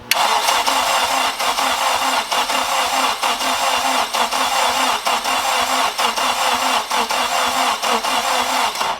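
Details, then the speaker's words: Turbo 8th-gen Honda Civic build, first crank after assembly with a battery charger on, to prime oil pressure: steady rhythmic starter churn about once a second with no firing. "we're going to watch this container right here until oil starts coming out I'm so scared this is the first time cranking it over in here"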